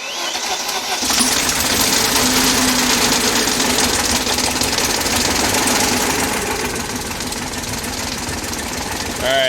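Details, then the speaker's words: 2001 BMW E39 540i M Sport V8, manual, long-sitting, starting after fuel pump reconnected: loud, uneven, lumpy running instead of smooth idle; suspected jumped timing from failed chain guides and/or timing chain tensioner. "you can shut it off um doesn't sound good so based on the way it was running it definitely sounded like the timing had jumped at some point probably due to failed chain guides and or a failed timing chain tensioner"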